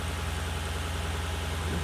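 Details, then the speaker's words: 2007 Lexus LS460L V8 after spark plug and valve cover gasket replacement: low, even idle with a smooth steady hum and no knocks or misses; normal idle. "alright guys so I finally made it home car drives good everything sounds good"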